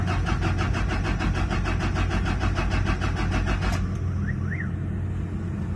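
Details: Toyota Fortuner diesel crank-no-start from a fuel system issue: steady fast starter cranking for almost four seconds with no firing, then stops; turning over but starved of fuel, air in fuel system.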